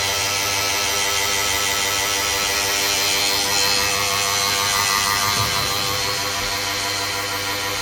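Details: Harsh, steady grinding rasp with a faint pulse about three a second from a running Kyocera TASKalfa office laser copier (e.g. 4002i/4053ci/5054ci); grinding traced to the waste box assembly (Parts Box Waste H Assy).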